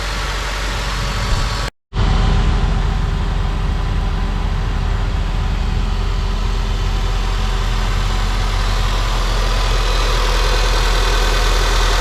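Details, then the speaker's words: 2003 Honda Civic (code P1420) idling after catalytic converter replacement: steady even idle with a smooth low rumble, no ticking or puffing, no exhaust leaks; the replacement did not fix the code. "any exhaust leaks this sounds good"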